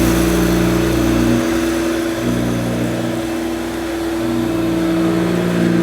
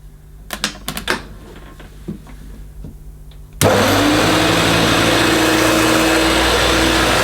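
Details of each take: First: 1971–74 Hoover Dial-A-Matic 1149 upright vacuum cleaning low-pile carpet: steady loud motor hum with a constant whine and slight load dips; owner judges it sounds as it should, just noisy. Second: 1971–74 Hoover Dial-A-Matic 1149 upright vacuum with new bag, carpet suction on max over a long-pile rug: clicks, then loud roar and whine that settles, running rough; owner thinks motor is okay and suspects the agitator.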